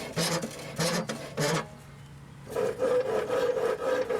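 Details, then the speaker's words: Husqvarna YTH18542 mower deck spindle spun by hand before rebuild: rough, gritty grinding in bursts; spindle bearings worn out. "just wanted you to hear the bearings"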